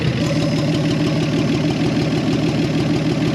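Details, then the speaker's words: 1968 Chevy Biscayne barn find, 47,000 miles, first start after 35 years: loud, raw, uneven idle with a harsh bark at each firing; exhaust broken off at the manifold flange, so there is no exhaust system. "overall it sounds like it's maybe you got an exhaust leak"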